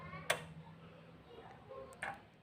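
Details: Kia Carnival diesel injection pump fuel cut-off solenoid bench-tested with power and ground to body: a few crisp separate clicks as the plunger pulls in and snaps back; solenoid working properly.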